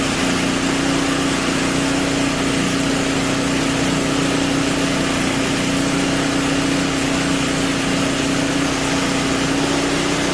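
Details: Simplicity 560 snowblower engine after a tune-up, testing the auger: new oil and spark plug, clean carburetor, electric and pull starters fixed. Steady high-pitched drone at an even speed, no surging or misfires. Healthy.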